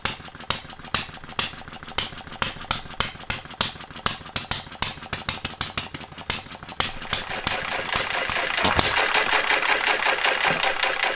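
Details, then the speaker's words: Jerry Howell Farm Boy model hit-and-miss engine on its first run, after fitting a Viton O-ring and setting the ignition: sharp firing bangs, then coasting. Governor cycling normally, running up to 650 rpm and firing again at about 570; spring maybe slightly heavy. "so that gets it up to 650 and it fires when it gets down to about 570."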